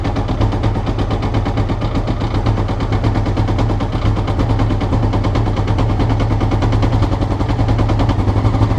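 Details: Honda CBR before changing float needles: lumpy, uneven popping idle with irregular beats and a heavy low thump underneath; engine not idling smoothly. Cause not confirmed.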